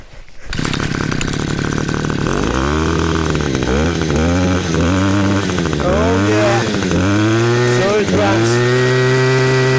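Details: Cheap two-stroke string trimmer, six to seven years old, first run after a no-spark fix and ignition coil replacement: crisp buzz climbs and drops cleanly with each throttle blip, no stumbling or misses. Normal running.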